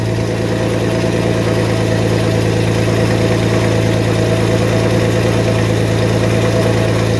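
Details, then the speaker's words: 1991 Mercedes 190E with CIS injection, first cold start of the day: steady low idle hum with a faint, uneven rapid ticking and loose rattle over it; exhaust leak rattle, idle speed settling. "as you can see it fired right up the idle speed will correct that's also a good thing right and that's that and that's our exhaust leak"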